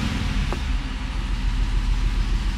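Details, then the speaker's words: 2015 Chevrolet Silverado 5.3L V8 with GDI injector problem, non-standard NGK plugs fitted: low, uneven lumpy idle from dead misfire on cylinder 1, a few on cylinder 3, flashing check engine light, P0300 random misfire code. "so number one has a dead Miss there's a few on number three but number one is just counting up so and it you can feel it missing"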